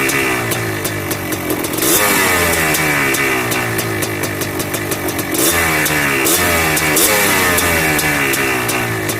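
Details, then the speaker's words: Yamaha Blaster 200cc two-stroke ATV with FMF pipe, pilot screw turned richer: buzzy blips falling back slowly, hanging above idle with crackles and light pinging; owner unsure whether lean pop, hanging idle with popping. "Not quite sure if that's a lean pop when it comes down and it wants to hang there and does that ding ding ding ding. I'm not sure if that's lean or not, but it's idling up a little bit better."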